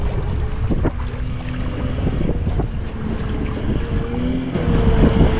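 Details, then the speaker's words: Rebuilt 1976 Mercury 650XS race outboard on a 13ft Delta T850 race boat, first run after sitting 20 years: a strong, even drone as it winds out at full throttle, partly buried in wind and water, smooth with no misses or rattles. "Sounds smooth. Sounds good. Oh. I like that sound. That sounds good."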